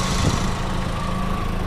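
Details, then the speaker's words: 2004 VW Golf 2.0 after replacing a cracked belt that had been noisy with A/C on: steady even idle with A/C compressor running, no chirp or squeal from the new belt, just smooth engine rumble; seems quieter, repair successful. "all right I think I heard it kick on the compressor is turning both fans are working you don't hear anything coming from the belt"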